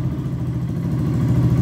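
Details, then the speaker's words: Fuel-injected motorcycle idling after throttle cable free play was adjusted: a low, even idle rumble that stays level as the handlebar is turned side to side, with no rise in revs; correct slack keeps the throttle from being pulled. "e ela não aumenta a aceleração olha só certo"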